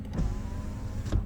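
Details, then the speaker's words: Nissan March power window checked before purchase: smooth steady motor hum as the window travels, soft clunk at the stop; normal operation. "normal ya itu basic sih Harusnya teman-teman pahamlah untuk ngecek power window"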